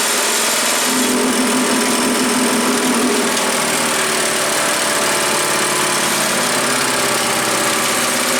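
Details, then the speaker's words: Earthquake chipper/shredder with Viper 212 engine (Harbor Freight Predator-style small single), bought used and run on first test: steady, even engine note with no misses, knocks or surging; runs normally. "well it sounds like it runs pretty good"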